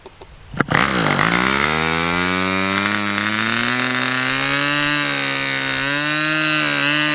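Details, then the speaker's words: Fox Twin glow engine restart with glow plug energized, no prime: one cylinder lights then dies out, uneven buzzing run on the other; cause unknown, nothing changed. "Okay, for whatever reason, this cylinder didn't really light this time. It lit and then it died out. And I don't really know why it would do that."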